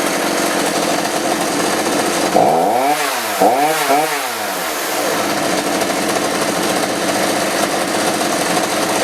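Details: Roughly 35 cc chainsaw with 14-inch bar after replacing the bad spark plug and a carb adjustment; catches and revs up cleanly twice, then settles into a steady even run with no stumbling, good to go.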